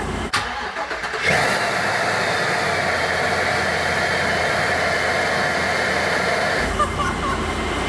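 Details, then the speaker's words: First start after Procharger supercharger install on an old 15-passenger van's factory engine: catches and holds a fast, even high idle with faint supercharger whine, slowly coming down. High idle after start that settles. "Yes! Look at my Procharger spin! Woo! Still idling high, it's coming down."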